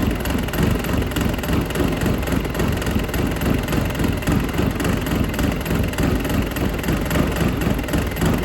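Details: Dodge Caliber SRT4 that sat outside for a long time, warm idle with the radiator cap off for a coolant combustion test (stays blue, no exhaust in coolant): rough, uneven deep knock about 3–4 per second, getting louder; owner suspects a bearing, since it was hard to turn over.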